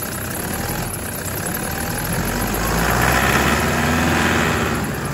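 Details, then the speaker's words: 2008 Toyota Land Cruiser 120 with a brand-new 1KD turbo diesel and new injectors, stone cold at about 5°C after running one minute, idling then gently revved: a rapid, even clatter and knock that is normal until warmed past 83 degrees. "We'll give it 1 minute to warm up and then I'll give it some gentle revs just to let you know some of the sounds you can expect to come from the engine when it's absolutely stone cold and it's only been running for about a minute."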